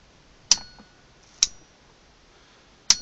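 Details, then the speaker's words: Gen 3 NM Pajero 3.2 DI-D lock-up torque converter kit install: three crisp clicks as relays pull in with ignition and switch both on, working normally. "I can clearly hear those relays clicking and if we leave in an off position and you turn the ignition off you shouldn't hear click"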